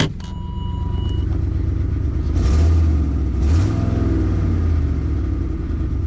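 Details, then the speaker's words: 2008 Ford Expedition V8 with 147K miles runs with a deep, uneven rumble and rough puffing edge on light revs from an exhaust leak; misfire is present but much less than the day before. "that sounds better today okay it's not missing nearly as much as yesterday alright so we definitely have that exhaust leak to fix"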